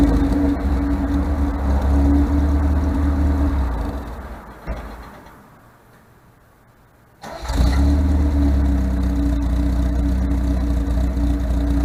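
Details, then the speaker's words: 1978 MGB after fitting rebuilt carburetors and replacing ignition points with electronic ignition: engine idles steadily, dips briefly, then runs evenly; timing sounds about right, though it still diesels and kicks back at shutdown. "Sound like the timing is set pretty decent."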